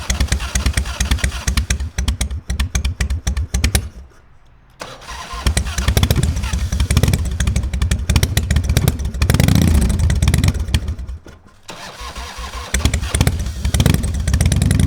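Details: Harley-Davidson Fat Boy Evo 1340 V-twin after winter storage, carburetor cleaned, jumper cables for extra starter boost: long stretches of heavy, slow cranking with brief catches but no start; suspected flooded.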